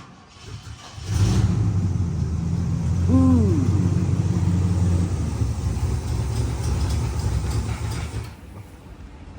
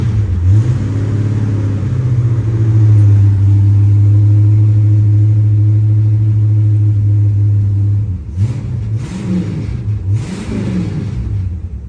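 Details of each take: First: 1970 Pontiac LeMans parked for 30 years fires and runs rough and low for several seconds, then fades and dies; starts but stalls, owner suspects because it is cold. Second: 1970 Pontiac LeMans (GTO front) V8 parked 30 years, running after warming up: deep, strong rumble holding steady revs then easing off; runs cleanly without misses or knocks.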